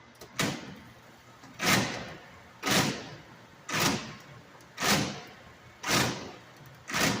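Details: StairMaster 7000 PT with a bad transmission: a heavy clunk with a sliding scrape about once a second, regular with each cycle. Transmission clunking.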